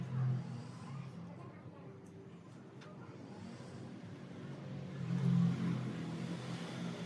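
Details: Mercedes-Benz C200 petrol that misfired when cold after sitting overnight; new plugs and coils did not help and the ECU was suspected faulty. After ECU repair it idles quietly and evenly from cold, a low steady hum without stumbling: normal idle.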